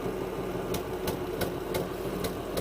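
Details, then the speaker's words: Ford F-250: uneven idle with a dull thump about every third of a second from the exhaust; misfire, injectors heard ticking and all plugs tested working, cause not yet found. "so there is a miss in there somewhere and i've tested all of the fuel injectors"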